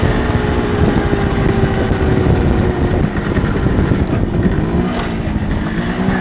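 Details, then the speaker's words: MZ ES 250/2 two-stroke with a Bing 84 carburetor under part load: a crackling metallic pinging over the exhaust drone is detonation from a too-lean mixture. It persists even after fitting a slightly larger main jet. "¿Oyes ese sonido crepitante y palpitante? Estos son los autoencendidos debido a demasiado pobre Mezcla."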